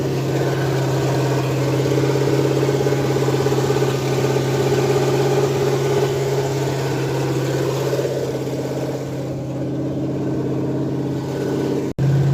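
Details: Ford F100 302 V8 with Comp 268H cam at fast break-in idle, open headers: steady fast idle, even smooth beat, no ticking or knocking; normal, though oil looks slightly milky.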